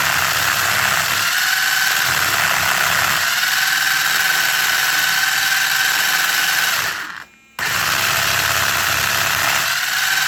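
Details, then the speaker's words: Traxxas 4Tec 2.0 RC car with new Traxxas CV joints; smooth under throttle straight, but at full steering lock a loud rough high whir with faint whine and vibration, owner blames CV joints not engineered for the steering angle. "you'll hear that it's nice and smooth but at full steering you'll hear a very nasty vibration and it's because the CV joints are actually not engineered properly for the amount of steering angle"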